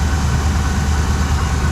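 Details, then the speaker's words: 1979 Suburban V8 idling outside after new dual exhaust; lumpy, uneven beat as a cylinder drops out; temp gun shows number seven about 100 degrees cooler, suspected misfiring cylinder. "well I got her outside definitely sounds like it could be missing these cylinders"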